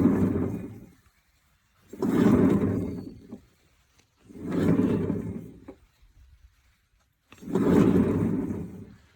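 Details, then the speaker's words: John Deere 322 50-inch mower deck, blade turned by hand: four slow rough grinding rumbles about two seconds apart from shot bearings in the two outer spindles; bearings to be replaced in all three. "It's a 50-inch deck from a John Deere 322, and the bearings are shot in the two outer spindles."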